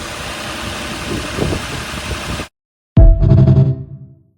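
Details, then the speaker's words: Nissan Murano after repair of a P0303 misfire with new spark plugs and a new cylinder 3 ignition coil: even, steady idle with no stumble before shutoff; misfire gone. "there she is running like a kitten Miss fire is gone running nice and smooth"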